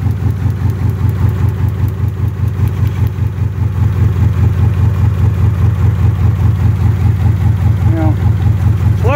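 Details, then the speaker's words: Car that had sat about 3.5 years, with a new coil, ignition module, cap and rotor and no check engine light, idling. Bad plug wires are arcing, leaving it running on two cylinders with a lumpy, uneven idle and steering shake; there is also an exhaust leak. Rough idle misfire. "look at there doing the same thing because this engine is only running on two cylinders"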